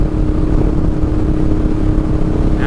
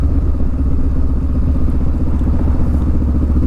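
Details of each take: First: go up to sixth gear oh yeah quieted everything down a little bit I still have a nice smooth steady throttle I still feel like I have some power available but everything's much smoother the bike's not yelling at me Second: Motorcycle slowing down while still in fourth gear, too high a gear for the low speed: deep, slow chuffing beats with a clattery edge as the revs drop. The engine is bogging and lugging.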